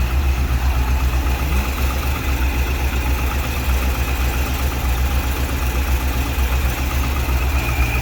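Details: 2001 C5 Corvette V8 idling just after replacing valve cover gaskets and grommets, with covers off to check for leaks and some residual smoke: a deep, steady, even rumble with no knocks or ticks. Normal idle.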